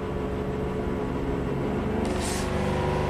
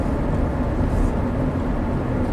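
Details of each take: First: 2009 Chevy Traverse V6 GDI, 190,000 miles, misfire codes on all cylinders and VVT problem after earlier timing job; engine revved, steady hum broken by brief metallic timing/phaser-like rattle, bank one and two cam variance high; cause suspected, not confirmed. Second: 2009 Chevy Traverse V6 GDI, 190,000 miles, on a test drive after topping up a very low oil level, which had caused misfire and VVT codes: low, even rumble with no clattering; cam variance under two degrees.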